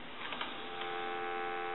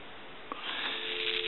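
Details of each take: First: Takara French-style rotary desk telephone, dropped, final checks after repair: a few clicks then a steady, clean dial tone with no crackle or hiss; the static heard earlier is gone. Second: Takara French-style rotary desk telephone that had been dropped, plugged into a line: dial tone through crackling, popping and sizzling from the handset. Caused by a bad T1 carbon transmitter.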